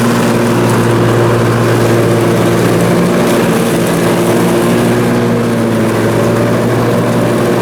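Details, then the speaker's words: Briggs & Stratton Intek M44 twin on a mower after total carburetor tear-down and clean: loud even drone under load, no surging or dropouts; seems all right now, normal running. "so so well there we go it seems as if it's all right now so that is good"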